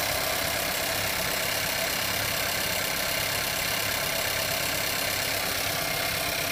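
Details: Skoda Kodiaq engine knock: idle carries a light, rapid, fairly steady knocking at roughly four beats per second under a hissy engine bay background; cause not identified.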